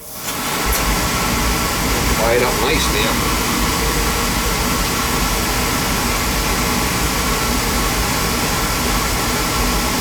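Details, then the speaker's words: Beckett oil burner with intermittent delayed ignition and smoke, pump at 140 pressure, good flow, filter good, old electrodes; quick steady even roar with no puffing or rumble; burner lit cleanly and firing normally. "she firing up nice cuz what causes the spark is this Transformer and it sends Spark down these electrodes to fire it"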